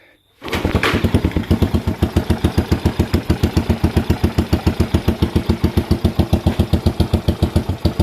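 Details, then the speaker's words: Postie bike motor, freshly rebuilt, first run after clutch adjustment and an odd kickstart: slow, even single-cylinder thump at about three and a half beats a second, no misses; deliberately set low idle, muffler split along its seam. "It's idling nice and low. I set it up that way."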